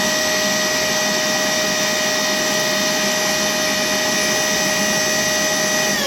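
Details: Worx WX031 brushless cordless 20V wet/dry vacuum picking up water in 100 ml steps toward its 2.9 L capacity: steady high motor whine with a constant airy rush and no surging or gurgling; normal wet pickup.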